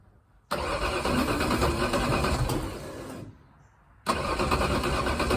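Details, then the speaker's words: V8 on first start attempt: catches and runs lumpy and uneven, then dies; misfire because plug wires for cylinders five and six were swapped. "that was ugly i might have a plug wire on in the wrong order let me look all right so yeah i had five and six switched"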